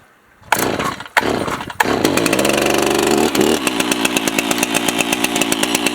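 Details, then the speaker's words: Stihl MS361 clone G366 60cc chainsaw cold start on half choke: a few sharp pulls, then it fires and settles into a steady, crisp two-stroke burble; starts and runs cleanly. "Now on half choke."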